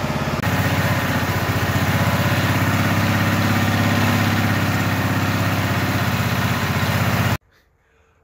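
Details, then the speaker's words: Auction lawn mower just brought home, started with its starter: the small single-cylinder engine putters at a steady, even idle, then cuts off cleanly. It is running fine. "so we've had a pretty eventful day we got a snow plow we got the mower it's running"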